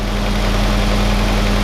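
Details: Willys CJ2a with Kaiser L134 Go Devil engine, after second head gasket replacement, thermostat fitted: steady low idle with rough uneven beat and strong low drone, clutch in/out; still blowing black smoke and using coolant with oil in it, cause unconfirmed.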